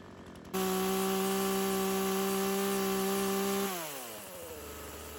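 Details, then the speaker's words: Old Craftsman chainsaw that sat for years; catches and holds a high buzz about three seconds then sags and dies down; hesitation and bogging on throttle, owner suspects clutch hanging up. "What we could do is yank off the chain later on the next run and see if it's still kind of bogging out, because you could see me kind of doing that there, and it would kind of take a second to it'd shoot out a little bit of smoke and then go."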